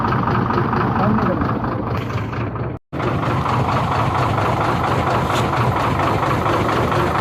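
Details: Hino J08C diesel engine at idle with a coarse, uneven knock about twice a second. Oil is coming out the silencer side, with cylinder 5 blowing oil.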